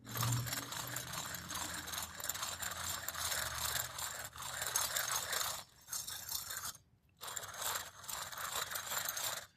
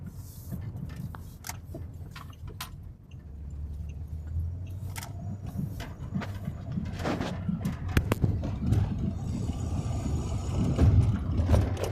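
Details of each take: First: Removed wheel hub bearing from a 2006 Pontiac G6 that hummed loudly when driving, turned by hand: gritty rough crunch and rattly scraping on every spin; failed bearing, replaced with salvage-yard unit. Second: 2006 Pontiac G6 driving after wheel hub bearing replacement: low even road rumble, wind noise from a loose metal piece, light rattles, no humming; normal wheel bearing.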